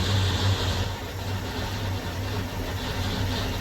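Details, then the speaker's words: 1966 Ford Mustang, first start after sitting 16 years under a carport: low, steady idle burble with a slight lope, no clanking or knocking, getting smoky; sounds great, normal idle. "Sounds great. Not bad at all."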